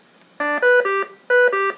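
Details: V60 BiPAP/CPAP ventilator during a controls demonstration: two bursts of a rising three-note electronic chime about a second apart, a clear repeating alarm tone.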